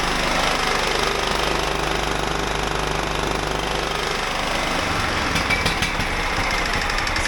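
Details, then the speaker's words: John Deere riding mower with replacement 16 hp engine, jacked up, throttle on: started right up, loud steady fast firing with no misses or knocks; voltage peaks at 13 V, stator recharging the battery correctly. "So you can see it started right up, and I'm stepping away because it's so fucking loud"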